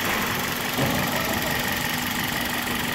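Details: 2005 Toyota Corolla gasoline engine after partial (meia-sola) rebuild with new drive belt, test running: steady even idle with smooth hum, no knocks, ticks or belt squeal; healthy.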